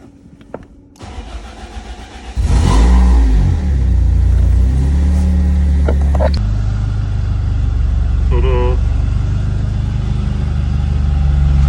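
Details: 1995 BMW E36 318ti with no-crank EWS fault, after swapping to pre-transponder EWS1 DME and push-button start: starter whirs briefly, engine catches cleanly and settles into steady even idle; normal start.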